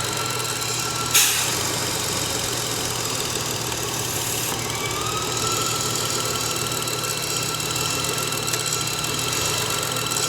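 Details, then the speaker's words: BMW N53/N54/N55 engine idling with a steady thin whistle-like whine from a failed crankcase vent valve integrated in the valve cover, audible from underneath near the converter; not pulleys, belt or alternator; fix is replacing the valve cover. "yep it's the vent valve everybody"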